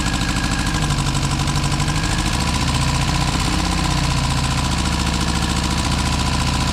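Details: Car first started after 6 months off the road and major work, choke out: steady, loud idle with a low beat that occasionally stumbles, seemingly firing on three cylinders at times; owner suspects rings and valves still bedding in.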